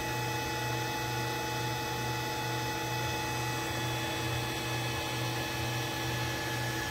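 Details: Allen Bradley MPL-B330P-MK74AA servo motor, test run after repair on an Allen Bradley drive: an even, steady low hum with a few constant tones above it, no knocks or grinding. Normal servo motor run.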